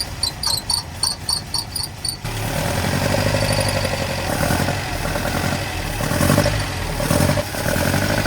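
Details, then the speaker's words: 1979 Datsun 620 four-cylinder after a clicking start: a lumpy, loping, stumbling idle running on three of four cylinders, idling too slowly to charge. The dead cylinder was found by pulling plug leads one at a time. "I think that's three out of four cylinders. Not really sure what to make of it. H sounds like it's running on three out of four cylinders to me."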